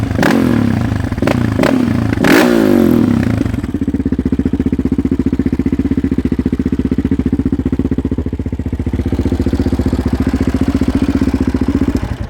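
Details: 2016 Yamaha Raptor 700 SE single with 11.1 compression piston and Hot Cam stage 3, exhaust during throttle stabs: sharp revs stumble, then a lumpy, pulsing idle; it is running a little rich and needs more auto-tuning.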